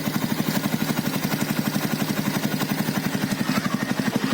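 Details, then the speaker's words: 2012 Yamaha Byson carbureted single at idle after cam chain replacement: steady even pulses about four per second, smoother than before with no clatter or rattle; normal idle. "Nah ya kan bunyinya itu lebih halus dari sebelumnya"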